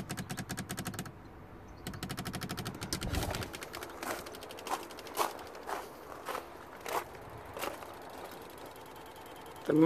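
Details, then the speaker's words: Mercedes S320 W220, left SAM relays chattering in sharp bursts every half to one second when the wipers are switched on, with no wiper motor hum; the wipers don't work and the noise stops when the plug is unplugged. "kind of try to run. And here I have this noise. I don't want to damage nothing, so I really don't know what's going on here."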